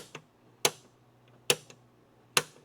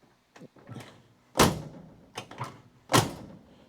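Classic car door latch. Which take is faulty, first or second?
second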